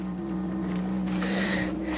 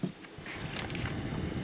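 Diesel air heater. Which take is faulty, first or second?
first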